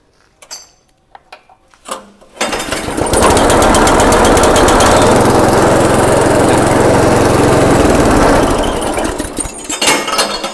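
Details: Grass chopper engine that was hard to start, after the idle screw was turned clockwise to raise idle speed: catches after a few pulls and holds a steady, even chatter for several seconds, running normally.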